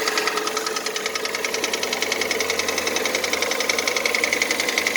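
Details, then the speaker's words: 2014 Kia Cerato 2.0, 143,000 km, cold start at idle: crisp steady tapping first taken for hydraulic lifters, actually piston knock; diagnosis found scoring in cylinders 2 and 3, knock present about 1,000 km. "я поначалу думал кто гидрокомпенсаторы и java характерный стук поршней слышно"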